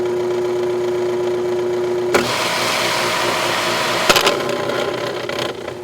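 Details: Aqua-Flo XP2E replacement pump motor on Dynasty hot tub, side panel on: hum, then harsh buzzing rattle once up to speed; rear bearing loose and spinning in its housing.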